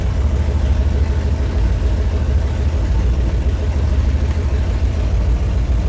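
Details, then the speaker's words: Small-block V8-swapped RX-7, after setting the timing, adjusting the idle screws and increasing the accelerator pump squirt: deep, even V8 burble at about 600 rpm, steady with no misses or ticking. Healthy, normal idle. "We've got our small block powered RX-7 fired up, sounding absolutely killer. I've got the timing dialed in."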